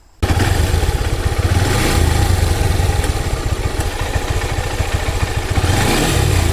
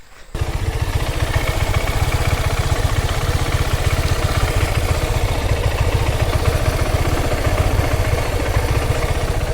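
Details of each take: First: Honda Hornet 160R engine running, noise returned after an earlier fix: quick, light tak-tak tick over the exhaust beat, from a worn timing chain tensioner letting the chain slap. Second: Honda Hornet 160R single-cylinder after timing chain, sprocket and tensioner replacement for engine noise: even idle with steady low thumping, no top-end rattle, clean quick rev at end; sound now smooth.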